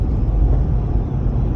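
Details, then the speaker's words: SUV driving with Nature Nest rooftop tent on Prinsu rack, after fitting 10 ft of strip between aluminum and metal to stop a loud rattle: steady low road rumble inside, no rattle or buzz. "It already sounds better. Close the door, you don't hear that rattle."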